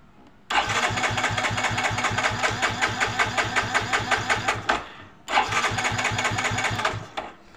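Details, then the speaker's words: Yamaha Mio J fuel-injected scooter that died suddenly and won't start: two starter bursts of steady chugging about 2.5 pulses a second, never catches. "ini sekali lagi untuk tipenya Yamaha matic ya Mio J untuk mereknya Mio J ini tidak mau hidup ya"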